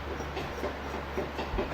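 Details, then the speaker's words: 2009 Yamaha Grizzly 700 fuel-injected ATV, front hub spun slowly by hand during axle and brake repairs: rough, gritty rumble with uneven catches each turn; worn front wheel bearing, both sides to be replaced. "That bearing is shot. So we're going to go ahead and replace both of them. Oh boy, that sounds awful."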